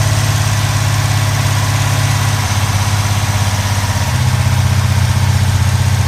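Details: 1970 Pontiac Trans Am Ram Air III, 469ci stroker on pump gas: ported Edelbrock aluminum heads, Lunati hydraulic roller cam (231/239, 110 LSA), 10.5:1 compression, freshly built. Steady, lumpy loping cam idle, even and clean with no knocks or ticks. Normal idle.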